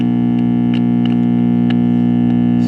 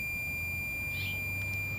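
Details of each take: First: 1945 R-100/URR three-band military "morale booster" receiver brought up slowly on a variac to about 60 volts and a little higher: a loud, steady low mains hum drowns everything out, so the filter capacitors appear totally dead; recap planned. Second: Battery eliminator converting 12 V to 90, 150 or 250 V, used to power a 1945 R-100/URR military shortwave receiver: a steady high whine at about two kilohertz from its oscillator, running normally.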